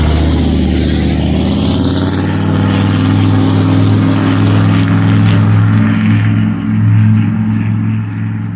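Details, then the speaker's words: 6.5L turbo diesel pickup with a straight-piped exhaust, driving after the passenger-side exhaust manifold gasket was replaced: a loud, deep, even drone that rises and settles with throttle, with the ticking leak from the manifold gone. "so my exhaust is back to being as loud as it should be"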